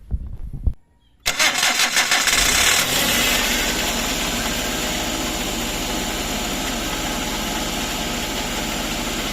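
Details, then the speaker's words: Suzuki DA64 automatic, noise traced underneath after ATF, filter and pan gasket change didn't cure it: engine idles with a scratchy, rough rattle like a dragging or failed bearing; transmission fault suspected. "Ayan, lumabas na 'yung ingay niya no. Parang may sumasabit sa ilalim or sirang bearing na tunog."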